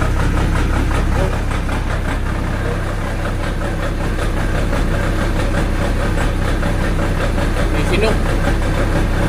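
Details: Diesel genset with a hard-starting problem, starting battery down to about 11.8 volts, after an adjustment: engine catches and settles into a steady, low chugging idle with no misses; it now starts and runs normally.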